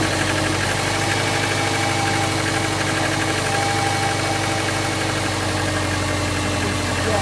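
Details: Subaru 2.5L non-turbo (2002-2007 Impreza/Forester/Outback/Legacy) after accessory belt tension adjustment for loud squeal when steering; restarted engine runs with steady even hum, no squeal or chirp. Normal running, belt squeal fixed.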